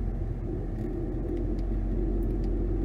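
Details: 2011 Nissan Rogue FWD after replacing both front wheel hub bearing assemblies and brakes, accelerating from a start; smooth low road rumble with no hum, growl or drone rising with speed, and no pedal or steering vibration; bearings healthy.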